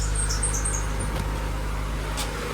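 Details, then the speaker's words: Honda EK hatch with D16Y7 just refreshed (new head gasket, water pump, timing belt, seals), first start-up in neutral: short high chirps over a low steady idle from one of the belts, possibly the power steering belt, which might need more tension; loose belt squeal. "This power steering belt might need a little more tension, honestly. Yeah, we'll find out."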